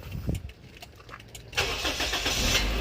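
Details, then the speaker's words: Toyota Vios for sale, engine started from off in the engine bay; starter cranks briefly, catches at about 1.6 s and settles into an even idle with no knocks or rattles; no oil seepage found; normal cold start and idle. "Kita nyalain dulu deh, biar ketahuan rasa hidupnya, suaranya seperti apa."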